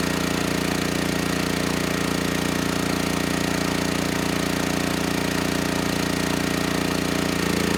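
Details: Generac GP6500E generator after repair of seized engine, warmed up, under heavy load up to 6,000 W near max: steady, even drone with no misses, knocks or surging, holding speed smoothly; held 121 V, just below 59 Hz, healthy.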